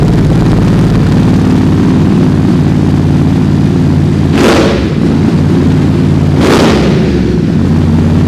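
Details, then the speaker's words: Ducati Desert X with SC Project decat and SC muffler, baffle out, recorded through a Rode Wireless Go that filters noise; loud deep steady idle with two throttle blips snapping back cleanly, a little louder, healthy. "Yeah, it's a little bit louder."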